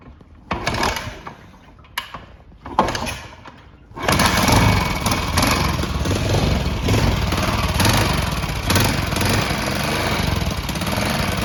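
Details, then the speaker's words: 1978 Yamaha SR500 single, 4,700 miles, project bike: after a few stuttering catches it settles into a steady even thump with no knocks; motor sounds good but won't tick over, so it cuts out. "it's not ticking over so that's why it cut out but the motor sounds good on it"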